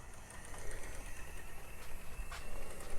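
Quiet low rumble and uneven rail clatter as the model rolls along, with no grinding or stalling; it sounds like it is running fine.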